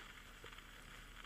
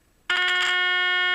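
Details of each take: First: EverReady N3 valve radio under restoration: only faint, irregular crackle and soft hiss from the speaker, no station received when tuning; amplifier stage appears alive, fault in reception not yet found. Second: EverReady N3 radio, 400 Hz test signal fed into the amplification stage: clean, loud, undistorted steady tone with no hum or crackle; amplifier satisfactory, fault likely in the high-frequency section, not power supply.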